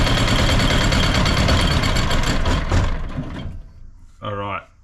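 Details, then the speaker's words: Used diesel generator of unknown condition, only a little diesel added and fuel filter just filling: clattering steady run, then fades and dies within seconds; suspected fuel starvation. "it's good started up all right sounds like it might be starving a bit for diesel which that fuel filter is only just filling up a little bit"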